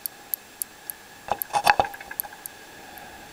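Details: Panasonic KX-FM131 fax machine switch-mode power supply after a power spike: MOSFET ticks about three or four times a second, supply cycling without starting, camera mic held near the transistor; owner suspects a bad driver IC, unconfirmed.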